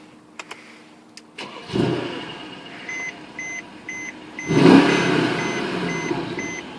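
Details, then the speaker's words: 2012 Mercedes-Benz E63 AMG V8, push-button start: the starter catches quickly, the engine flares to a sharp rev, then settles into a strong, even idle under a repeating cabin chime; normal, aggressive-sounding start and idle. "hear how aggressive that is absolutely beautiful"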